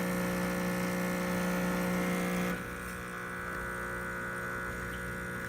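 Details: Expobar espresso machine pulling a shot after an internal leak repair, pressure test showing no leaks; steady, even pump hum with low buzz, settling slightly quieter partway through; pump running normally.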